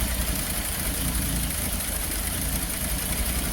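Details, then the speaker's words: Peugeot 205 GTI, fully warm after a no-start and idle-control fault was fixed (it previously wouldn't start from cold unless the air sensor was removed): steady, even idle just below 1000 rpm, no misses, knocks or hunting; normal warm idle. "so it's starting to calm down just below th000 this is where we set our idle obviously when it's fully heated"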